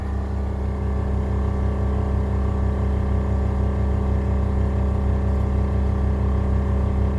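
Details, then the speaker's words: 1972 Chevy truck air suspension, after dropping front and back: a steady, low pumping drone at about three and a half beats per second as the compressor runs evenly to refill; normal operation. "that just dropped the front that just dropped the back and you can hear the pumps run"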